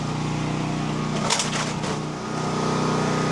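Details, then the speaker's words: Westinghouse dual-fuel generator on propane via a long gas line, new regulator with primer given three primes; push-button start catches first try, then a steady, even drone with no surging or stumbling; runs smoothly. "Okay so let's give it a shot here it's on going push the button we'll see if it starts up so that's it so it started up I'm going to let it run"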